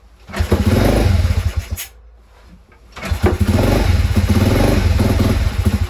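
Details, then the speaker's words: Crashed pit bike, leaking fuel (owner suspects float): kicks bring a brief rough firing burst that dies, then it chugs unevenly struggling to idle; ran after adjusting the idle screw, very smoky. "Oh, it's going. Oh, come on. Why did it start and turn off?"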